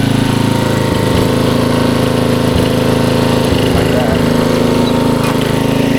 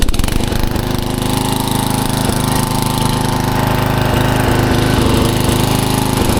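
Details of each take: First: 1994 Troy-Bilt 33-inch walk-behind mower, Model 34044, Briggs & Stratton engine, throttle all the way up: steady, even single-cylinder drone with only light clicks from the drive. Runs cleanly, normal running. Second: 1994 Troy-Bilt 34044 33-inch mulching walk-behind mower with Briggs & Stratton engine, found curbside: the engine runs with a hard, rapid metallic clatter following engine speed because the twin blades are mistimed, likely after a blade change, and hit each other.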